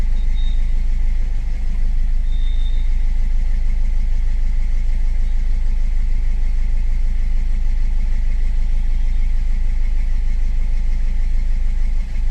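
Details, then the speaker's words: 2015 Ford EcoSport diesel (stated as 1.4 and as 1.5 L turbo) with the malfunction light on and a pickup problem: an uneven idle lope about twice a second as one cylinder drops out; the scan shows injector 3 circuit open, causing the misfire. "ఎలా యాంటింగ్ అయితుందో చూడు fault code self rest injector సర్క్యూట్ఏ third injector circuit open problem ఉంది."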